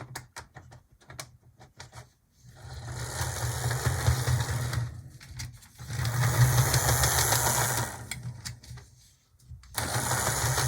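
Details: Older Atlas GP35 HO loco, after oiling the bearings: motor whirs in bursts with rapid ticking about three a second that follows speed; owner suspects a cracked drive gear, not gunk.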